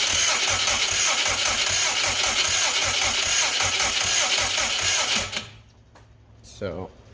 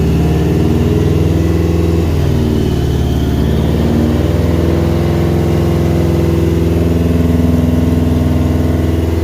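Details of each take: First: Subaru Brat with WRX engine swap, fuel pump apparently not running, no spark at the plug; owner questions a hole in the cam sensor: fast steady starter whirring for five seconds, no firing at all; cranks, no start, no spark. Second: Subaru Brat with WRX engine swap, finally started after cleaning cam sensors and fuse checks (exact cause unknown): steady, even idle with a light rev blip, no misses or knocks. Normal running.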